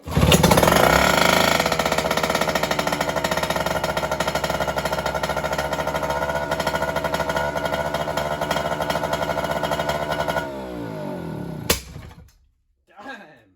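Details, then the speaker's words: Mercury 2.2 hp two-stroke outboard after fresh gasoline and a carburetor check, unchoked after starting: quick, even rattle holding steady speed for about ten seconds before shutdown; runs normally. "What a little kicker. So, some fresh gas and a checkup. It's running again. That's great."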